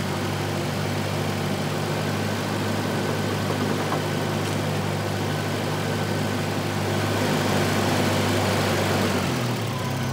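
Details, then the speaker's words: 1985 Volvo 240 (LH2.2, B230F family) after replacing a faulty idle air control valve: even, low idle rumble at steady speed with no hunting, surging or misses, sounding much better than before; normal idle. "let's see how our Idol is now we've finally changed over our valve that sounds a lot better I think"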